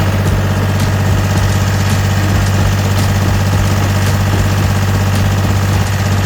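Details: Gehl 4640 skid steer with Deutz diesel that earlier would not restart: steady, even low diesel rumble with no misses or knocks, idling smoothly and healthy.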